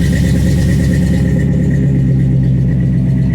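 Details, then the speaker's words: 1955 GMC truck with Pontiac engine, first start after intake manifold change, in park: steady, even low rumble idling at 800 rpm with no knocks or misses; checked for fuel leaks, healthy idle. "It's actually idling 800 RPMs. Make sure I ain't got no fuel leaks."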